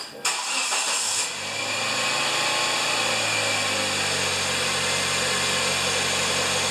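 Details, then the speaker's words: 2010 Kia Soul after an air filter change to fix acceleration issues: it cranks and catches quickly, then settles into a steady, even idle with no misses or knocks. The idle came down faster than last time; normal start and idle. "Idle was coming down faster than last time."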